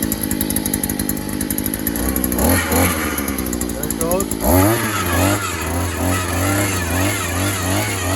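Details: Harbor Freight gas earth auger, small two-stroke freshly assembled, primed and started on choke, run on 50:1 premix though 25:1 required: buzzy note rises and falls with throttle blips, catching cleanly without stumbling; running normally.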